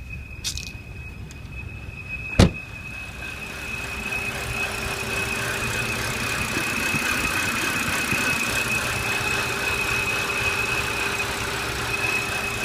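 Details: 2007 BMW 328i automatic: thin steady high whistle at idle over a fainter lower tone, also heard randomly on deceleration, changes pitch with rpm and speed, stops after restart; not belt squeal; others fixed it via cracked valve cover or gasket leak.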